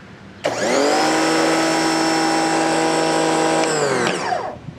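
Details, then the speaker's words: New Campbell-Hausfeld PW1835 1800 PSI electric pressure washer: sharp start to a steady high buzzy universal motor whine, even, then smooth wind-down; runs normally. "And it indeed has a universal motor, which sounds like shit. Not at all as cool as the old one, but it looks like it works."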